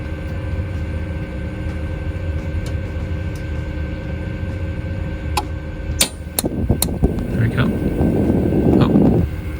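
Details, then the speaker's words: Dometic RV fridge switching from shore power to gas, access panel removed: several igniter clicks over steady hum, then soft rushing roar as flame finally catches after a long delay; owner suspects insufficient gas supply in line, unconfirmed. "oh that took a while did you hear how long that took to start so my real problem here might be my gas"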